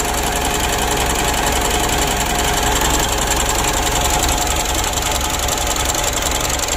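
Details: Mitsubishi Pajero Sport Exceed diesel restarted after work: rough, hard idle with injector clatter and a knock from the front of the engine; points to a worn supply pump.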